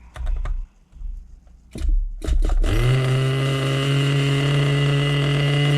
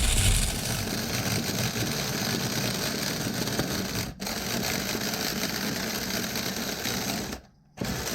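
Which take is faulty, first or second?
second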